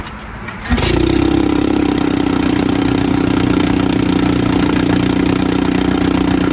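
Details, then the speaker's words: 1954 Evinrude 7.5 HP Fleet Twin outboard, after new ignition coils, cleaned points and a carburetor rebuild: catches and settles into a steady, even buzz with no misses or knocks. Normal running. "Well guys, this thing actually runs pretty dang good."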